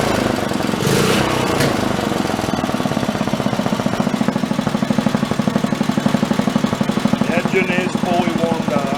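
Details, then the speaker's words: Wisconsin BKN single-cylinder engine after Fairbanks Morse magneto repair, temporary plug wire: crisp, regular chuffing around four beats a second, even once warm with no misfires; runs much better, valve lash possibly slightly loose. "Yeah, that runs a whole lot better."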